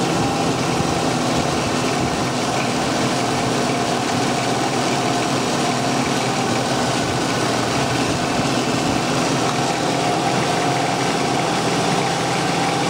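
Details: 1994 Ford Ranger after alternator replacement: steady, even idle, smooth low drone, no knocks, ticks or whine; charging normally at 14.5 volts at the battery.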